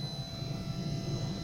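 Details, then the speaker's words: Replacement wiper motor on a Vauxhall Cavalier Diplomat, fitted after the old one sounded dry and a 30 amp fuse kept blowing, runs whisper quiet with a low steady hum and no rattle or grinding, unlike the noisy original; normal wiper motor operation. "It's whisper quiet. That's how it's supposed to be. That other one was making a hell of a racket."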